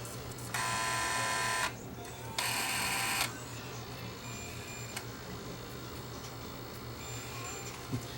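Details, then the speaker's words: Cheap Dynex Blu-ray player reading MP3 files written to a Blu-ray disc: two short whirring bursts as the pickup seeks, then near silence as it gives up; reports unknown disc, so that format isn't supported. "that's reading still I can hear the pickup moving around this is a loading disc it didn't like my desk we'll try it again"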